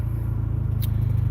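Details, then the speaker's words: Honda Accord X (10th gen) with new high-pressure direct-injection fuel pump for E85, fuel pressure following target: low even idle hum, smooth steady pulse, no ticking or knock; normal idle. "i mean you can hear the car it's running perfectly fine it's it's burned like a freaking kitten uh no knock"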